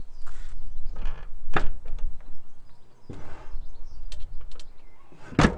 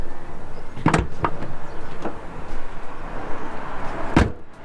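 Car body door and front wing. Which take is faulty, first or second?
first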